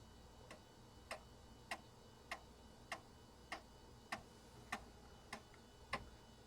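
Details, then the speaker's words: Compaq Deskpro floppy drive formatting a system disk normally; sharp clacking steps about every 0.6 seconds over a faint hum. Very loud, but it works. "you guys hear that probably the loudest floppy Drive I own but it works that's the important thing"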